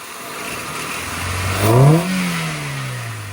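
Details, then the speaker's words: Honda Civic with a newly fitted intake: steady idle swells into a quick rev with a rising hollow sucking roar that falls back smoothly; healthy intake breathing. "Oh, that works nice. She's breathing in all the air."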